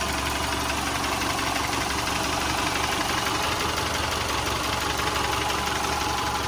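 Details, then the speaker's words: Rebuilt 2010 Subaru Forester 2.5L EJ25 boxer, warm about 8 minutes after an overnight cold start, heard from outside: even idle with a steady low thrum and light ticking, no knock or miss; healthy. "even from outside you hear the engine nice and smooth you don't hear anything abnormal noises"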